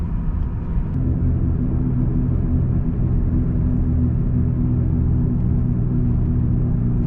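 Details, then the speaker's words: 2002-2005 Dodge Ram 1500 recorded inside the cab on a test drive at cruise after front wheel hub replacement: only a steady, low, even road rumble with no growl or hum; quiet ride, normal wheel bearings. "well there we go the wheel hubs are replaced and I have a quiet ride again"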